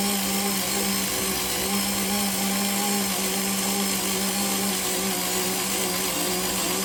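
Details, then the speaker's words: Parkside PAS 4 D7 cordless screwdriver with magnetic bit driving a self-drilling screw into fairly thick galvanized sheet steel: steady, slightly labored motor whine for several seconds; it manages the screw, though not without difficulty. "Tak jak widzieliście, nie bez problemu, ale dałem sobie radę z dokręceniem tej śruby prosto właśnie do tej blachy z ocynku."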